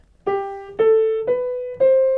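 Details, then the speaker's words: Fully restored Bösendorfer grand piano, 170 cm long: four clean notes stepping upward, each ringing evenly with full rich tone, no buzz or rattle, rich bass; normal even tone. "it's a very even tone"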